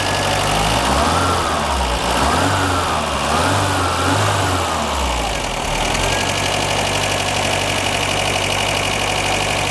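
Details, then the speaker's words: 1982 Renault Fuego turbo, first running after long storage, fully warm: idle swings up and down in slow waves about every second, then settles; surging idle, suspected vacuum leak being smoke-tested, not confirmed. "so as you hear it's alive again and I didn't really have to worry about a timing belt so much believe this thing has a timing chain you can see where their timing cases and everything but in getting it running once it fully warms up the idle is erratic it goes w w w"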